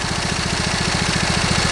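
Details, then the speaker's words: Briggs & Stratton V-twin lawn tractor engine at idle: fast, throbbing idle with a slight lope, one cylinder firing weaker; owner suspects that cylinder is missing, possibly ignition or valve cover gasket related; uneven idle. "now put the engine idle down you can hear that it's running on you can hear that you know these engines are actually fairly balanced from the factory so"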